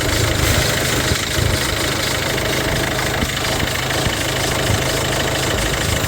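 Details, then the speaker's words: Peugeot 3008 at steady idle after a battery replacement and battery fuse fix, faults cleared and management light off: loud constant chattering whirr over the engine, not following load, from a noisy auxiliary drive belt. "It's just got auxiliary bell that's making a hell of a lot of noise right now, but that's for them to sort out."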